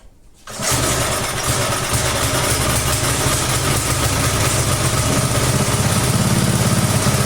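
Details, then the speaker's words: Roughly 1991 Texas garden rototiller with Briggs & Stratton engine, stood for years, started with no choke at half throttle and no air cleaner fitted; fast, slightly uneven pulse swelling and sagging; hunting at idle, attributed to missing air cleaner. "can you hear that it is it is hunting a little bit because it doesn't have an air cleaner"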